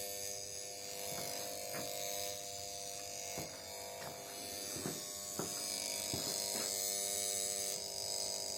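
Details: Oven that won't switch on, programs not starting, with top cover removed: faint steady buzz and sharp intermittent clicks from the control board area; failed X2 suppression capacitor on the control module.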